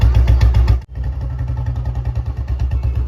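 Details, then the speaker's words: 2009 Royal Enfield-style old model Bullet 350 after full restoration, first start on half kick: steady, slow, even single-cylinder thump with no extra noise; rocker tapping was heard earlier during setting and was adjusted. Normal idle. "तो sound इसका बिल्कुल बढ़िया और engine भी इसका बिल्कुल soundless है बे फालतू की कोई भी आवाज नहीं है"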